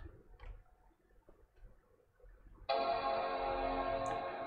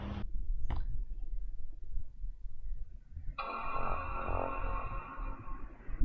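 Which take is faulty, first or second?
second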